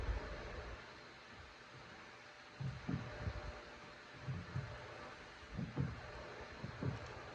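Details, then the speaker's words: Stationary BMW, after greasing the slide pins, caliper piston and bracket: soft low thumps as the brake is pressed, with no squeal. The squeaky brake is fixed. "No more noise. So it's pressing the brake. No more noise."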